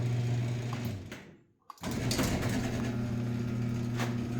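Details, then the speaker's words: Garage door opener after greasing rollers with white lithium grease: even motor drone with soft rolling rhythm, brief pause, smooth run again, no squeal or grinding; very quiet. "I don't know if you guys noticed from the opening sequence of this video, but that's very, very quiet."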